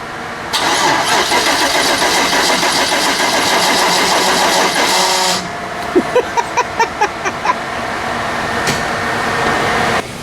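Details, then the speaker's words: 5.3 LS truck, unrun for three years and on a new inline fuel pump and fuel lines, cranks for about five seconds with a harsh grinding whirr, then catches and idles well; the starter motor is worn. "It started to Oh. Oh. Oh. I have never heard a starter that no mechanical sympathy at all."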